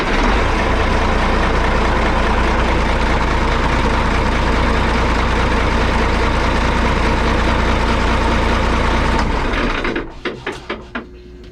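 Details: Boat engine after the fault that filled the engine room with smoke was fixed: steady, even low rumble for about ten seconds before shutdown, no misses or knocks; runs smoothly.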